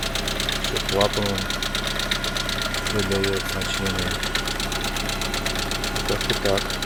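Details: Lada Priora engine at idle: fast, light metallic ticking keeping steady time over a smooth idle; hydraulic lifters clattering.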